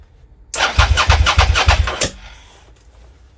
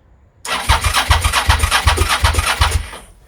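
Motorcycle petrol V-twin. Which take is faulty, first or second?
first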